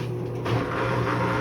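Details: Midea washer-dryer makes a loud, rough rattling hum, as if a stone were tumbling inside; the cause was a failing drain pump, which was replaced.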